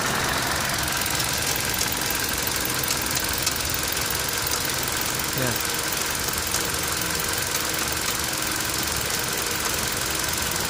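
Steady idle with a light, quick ticking laid over it that keeps pace with the engine; a ticking noise, source not pinned down.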